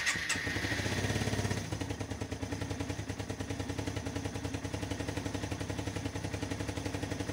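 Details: 1997 Yamaha SR 125 first start after winter storage: a few sputtering attempts, catching on about the fourth, then the single settles into a steady, even thump at about three and a half beats per second; normal idle after cold start.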